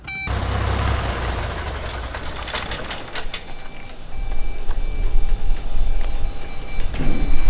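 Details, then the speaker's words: Trinidad TB20 grounded 15 years, engine running, stall warning switch tripped by hand. A thin, steady electronic tone comes and goes over the engine, so the stall warning horn works. "Thank you, Eric, from the AOPA for coming and helping and for testing out the stall horn."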